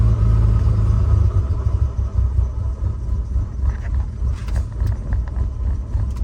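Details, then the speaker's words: Nissan 300ZX on cold start: labouring low uneven idle, lumpy and irregular, engine shaking badly and wanting to stall; improves when revved and warm; misfire, cause not yet found. "As you guys can see, it kind of wants to turn off. Um, some engine shaking pretty bad. Um, but once if I rev it and once it warms up, it actually starts to idle a lot better."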